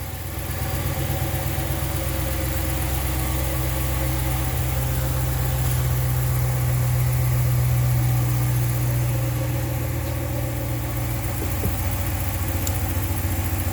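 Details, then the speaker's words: 2014 Dodge Ram 1500 5.7 Hemi V8 just after an oil change, first start, settling from high idle: smooth, steady low rumble with even firing and no ticking or dry clatter; normal idle, oil circulated. "sounds good just came out of its high idle so it's settling and I'm sure the oil pump through the entire motor by now"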